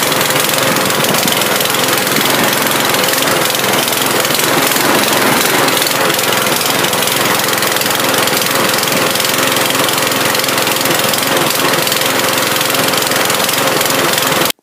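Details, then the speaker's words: Mountfield lawn mower running after carb cleaner spray: loud, ragged engine with stumbling, uneven beat, misfiring; owner suspects a dirty carburettor, possibly a partly blocked jet or hole, not confirmed. "I'll clean the carb out now because it was running, but it was sort of giving the problems of a dirty carb, so I shall clean that out. It sort of misfiring a little bit and I'm running even."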